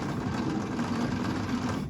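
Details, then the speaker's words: 1952 International Harvester L112 engine, not run in decades, cranking with compression tester on cylinder 2: even, fairly brisk starter whirr with almost no compression pulses; cylinder 2 reaches about 15 psi, cylinder 1 about 30 psi, low compression. "So still not very much. Cylinder 1 was about 30 psi. That one was getting to, I don't know, maybe 15 or something like that."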